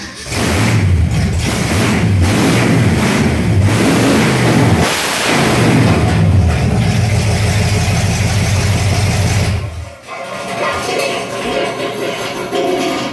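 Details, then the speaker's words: 1968 Ford F100 with freshly rebuilt 360 V8, cam not yet broken in and not yet tuned: loud, deep blips then rumbling slightly uneven idle; new engine running normally. "it's loud just fired up real quick and at least show you guys what it sounds like"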